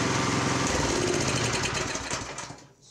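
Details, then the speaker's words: Honda F501 tiller with new GX-clone replacement engine, unloaded, after slightly enlarging the pilot jet to cure lean surge: small single runs steady and even at 3600 rpm, no hunting or surging; smooth now. "fuel is on that's a lot smoother don't do the Huns anymore check the attack 3 600 right on the money there we go"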